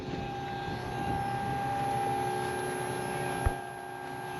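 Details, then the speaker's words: Newport NK180 transom motor on a 2019 Hobie Outback at 50% speed, 31 watts, 25.6V lithium pack: a steady thin electric whine at one pitch over faint hiss, with no grinding. Running normally. "And we can see the Newport motor is running."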